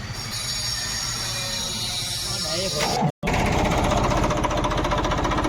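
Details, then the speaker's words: Tractor diesel engine after diesel pump repair and setting: quick, even clatter and steady beat, no stumbling or irregular puffing; sound right and taking load properly. "आवाज भी सही load भी सही ले रहा है"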